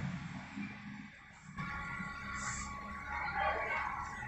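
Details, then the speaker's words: Amplifier built on a 600 W OCL IC-based driver with emitter outputs, channel A bridged (BTL): with the volume turned down, a steady, thin, high-pitched whine rings from the tweeter over hum. "Suaranya kencang. Jadi kayak apa ya, kayak cacat frekuensi tinggi tapi bunyi terus gitu, nging, kayak feedback suaranya."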